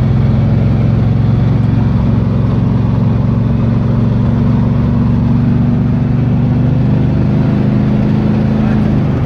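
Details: 1978 Pontiac Trans Am 400 V8 (X7 block, 6X heads), idling after timing set to 18° and vacuum advance reconnected: steady even burble at slightly fast idle, no misses or knocks; runs clean.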